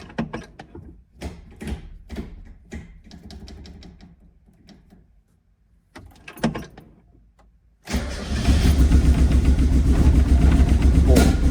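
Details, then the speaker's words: Mazda Miata, sat for at least a month, first start after repairs: engine fires and runs with a stumbling, uneven idle; owner suspected a cam angle sensor timing error, but the misfire came from crossed spark plug wires. "oh it's running rough you guys hear that okay yeah that okay that's not good"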